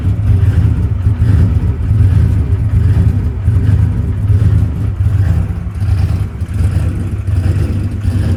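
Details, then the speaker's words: Ford Coyote V8 with 107mm turbo, injector setting changed to 850s at 9 psi: deep rumble with uneven revving and scattered exhaust pops; running slightly lean, causing lean popping. "brother all right so we got that thing it was running a little bit lean lean popping go ahead and crank it back up Donald"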